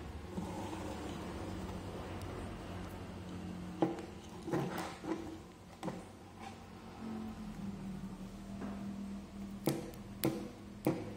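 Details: 12 V normally-closed automatic water tap solenoid valve (0.02–0.8 MPa) tested after coil check and disassembly/reassembly; crisp, separate clicks in small groups as power is switched, no buzz or chatter; normal solenoid valve clicking.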